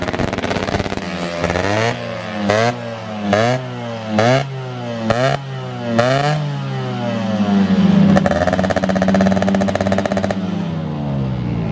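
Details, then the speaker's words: Rebuilt ported Alfa two-stroke with stock carburetor, road riding: repeated clean revs climbing and dropping through gears, then a steady pull, no misfire or rattle; normal acceleration. "oke teman-teman Ini kita lagi di Jalan Raya ya jadi di lagi di Ryan teman-teman suaranya halus banget knalpot Si Kopi biasanya suaranya gahar ini agak sedikit halus agak semut"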